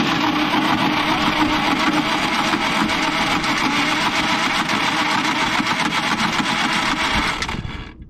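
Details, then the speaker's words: Caterpillar D8H bulldozer sat 15+ years, engine had been full of water and sat at -6 for days: steady even cranking about four beats a second, no skipped strokes; compression sounds consistent, normal cranking. "I'm impressed it sounds consistent I don't understand any of that it's not well but the fact that it turns is what's impressive to me"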